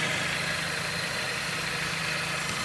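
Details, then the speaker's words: Dodge engine that had a squealing noise, after fitting a new pulley and reinstalling the belt: steady, even idle with no squeal, chirp or whine from the belt drive; the noise is gone. "no hay ruido muchachos"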